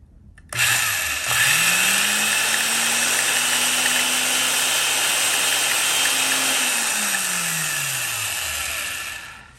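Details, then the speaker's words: Van Dorn electric drill, at least 74 years old (1931–1951), flea-market find, first power-up before gearbox greasing and motor cleaning: motor spins up to loud steady whine, winds down; slow but very loud; gear whine, cause unconfirmed. "I'll say one thing it's extremely slow moving but it is very loud all right so it works"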